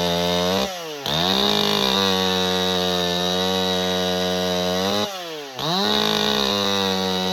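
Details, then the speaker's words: Husqvarna 268 XP ported chainsaw in the cut, after work on a crankcase seal leak and lean flaring: high steady revs, bogs only slightly as it bites, then recovers, occasionally four-stroking; tuned about perfect, running normally. "You could hear it occasionally hitting in a little 4-stroke down through the cut, which means it's tuned about perfect."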